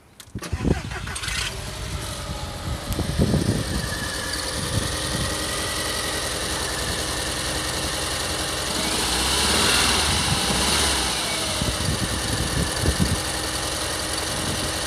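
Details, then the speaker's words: VAG 1.8T turbo engine with intermittent misfires, power loss and new spark plugs already fitted: it catches into an uneven, lumpy idle with irregular stumbles, not firing on all cylinders with unburned fuel smell; owner suspects the ignition coils. "so that's else you could hear it was running roughly I'm not firing quickly on all cylinders"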